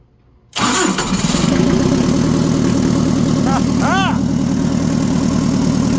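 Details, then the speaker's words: Mitsubishi FD25 forklift with an S4E diesel, first start after the injection pump timing was corrected, with glow plugs pre-heated and new injectors: brief cranking, then it catches and settles into a steady, even idle clatter. It's the first start without ether or a gas-soaked rag. "that is the first time that that thing has started without the assist of ether or rag soaked in gas or something like that"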